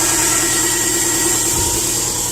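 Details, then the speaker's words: 2010 Subaru Impreza 2.5 non-turbo, 113,000 miles: first idle after replacing the engine ruined by running without oil, before coolant fill; even idle with steady hum and fan hiss, no knocks or rattles, a little smoke blamed on the old engine. Normal idle. "I think I'm good to go. A little bit of smoky from the old engine."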